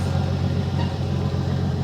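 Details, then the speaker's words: 1984 Ford F-150 abandoned in the woods since 2008, first start in ten years on old treated pre-ethanol gas: steady low engine drone with an even unbroken note as the truck pulls along under its own power, sounding healthy. "Running under her own power."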